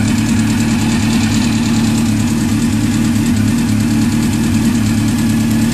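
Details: Honda CBR600 FX at idle and light revs with busy, fast ticking layered over the engine; unidentified ticking noise, cause unknown.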